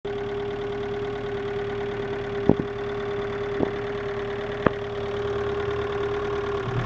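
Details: VAZ 2112 1.6 16V at idle, knock appeared after head gasket replacement: smooth hum broken by sharp single knocks about a second apart; engine knock of unclear origin.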